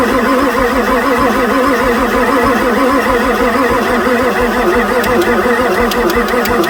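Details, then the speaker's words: 1994 Ford F-450 7.3 diesel no-start on weakening batteries: long steady cranking with a few sharp injector pops near the end, oil pressure reaching 0.7 and ICP pressure building, but it never catches; crank no start. "I heard the injector start to fire the oil pressure came up to 0.7 my battery's getting lower you can hear the injectors firing"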